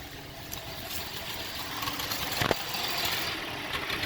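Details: 2004 Cadillac SRX rough idle: uneven, irregular hissy chuffing with no steady beat.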